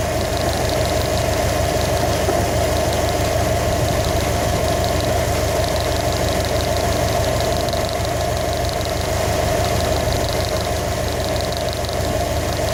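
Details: 2015 Subaru WRX STI at steady idle with a light, regular tapping about three per second over the engine note, suggesting an internal engine knock; knock being troubleshot.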